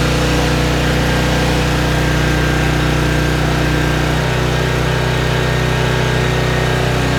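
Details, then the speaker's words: Trash-picked 2005 Craftsman 5600 W generator, 10 HP Briggs & Stratton, carrying a 1400 W heat gun: a loud, steady drone at constant speed with no hunting or dropouts; it holds the load well, though the carburetor may need more cleaning. "Start her back up. Making power."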